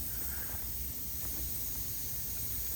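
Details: CDL Class A truck tractor not started in over a year, idling: steady loud hiss of escaping air over a low idle rumble, located up under one side; suspected compressed-air leak, not confirmed.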